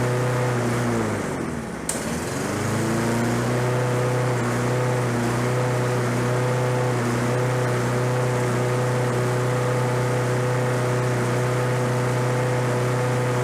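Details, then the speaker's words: Roadside Lawn-Boy 21-inch self-propelled walk-behind mower, fresh gas, low oil, little compression felt: the single-cylinder engine catches on the pull and settles into a steady, even drone with no misses. Normal running. "so that's interesting like i say this is out on the side of the road with the trash and it runs now"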